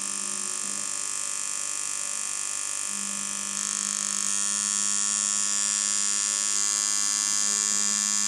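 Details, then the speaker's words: Dan Kubin Sidewinder V3R tattoo machine after an inconsistency fix: a steady, even buzz at constant pitch with no stutter. It now gives the correct sound at 5.8 V, where it previously needed nearly 7 V. Long-term result not yet confirmed. "I think it sounds now like how I remember it should sound."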